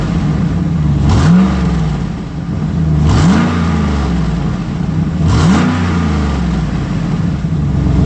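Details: 2008 GMC Sierra 1500 Denali, L92 6.2L V8, resonator delete, cold start and revs: raspy, puffing edge on each throttle blip from an exhaust leak just before the secondary catalytic converter.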